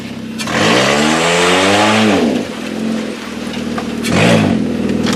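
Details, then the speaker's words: Kia demolition derby car ("Killer Kia") on a short test drive after build, shifter and brakes working: clean, crisp revs climb sharply to almost 7,000 rpm twice and drop back smoothly, engine pulling freely; normal revving. "Shifter works good. Brakes still work. Oh, but she's got some revs."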